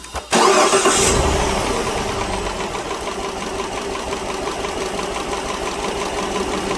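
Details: 2010 Dodge Journey 3.5 V6, MIL on, P0206 in history: engine cranks and catches, then idles with an uneven, stumbling beat after restart as cylinder 6 misfires from a dead number 6 fuel injector.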